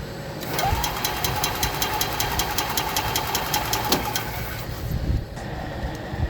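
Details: 2021 EZGO Express L4 EFI cranking during no-start diagnosis: starter turns the engine in steady rapid beats for about four seconds with no firing or catch; relay then tested, showing about 12.7 V on three relay legs.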